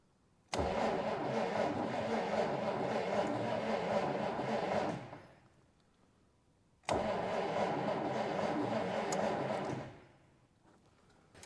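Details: 1947 Dodge D24 Deluxe with fluid drive, not run in over six months, owner suspects ignition problem: two long cranking bursts, steady starter churn about two beats a second, trying to fire but not catching; cranks but no start.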